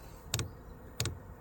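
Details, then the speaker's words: HCALORY 8 kW diesel heater on a 12-volt battery, starting up: sharp double ticks about every two-thirds of a second over a quiet background as the fuel pump begins pulsing before ignition; normal. "oh, there goes the fuel pump."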